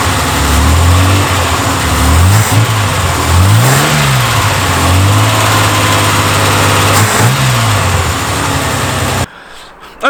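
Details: Reliant Scimitar after tappets adjusted to spec, camera brought to the noisy side away from exhaust: uneven light top-end rattle over idle with blips and revs; persistent tappet clatter, cause unclear.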